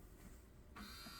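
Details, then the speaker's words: 1985 Pioneer PD-5010 CD player, bought sold-as-not-working: at power-on a small motor whirs steadily but the tray won't open, no drawer clunk or movement; worn, slipping CD tray loading belt suspected. "it open? No. So it's going to be a belt of some sort."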